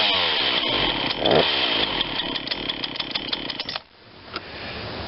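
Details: Ryobi 40cc chainsaw that had sat unused, cold start after primer bulb and carburetor work: crisp, high two-stroke buzz with a steady burble and no misses. Starts and runs cleanly; idle maybe slightly low.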